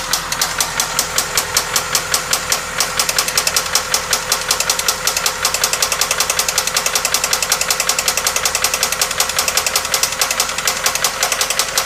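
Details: 1997 Toyota Camry with a loud, sharp rhythmic ticking knock at two to three per second over the running engine; it followed stalling. AutoZone suspected a failed head gasket mixing water with oil/gas and possible seizure.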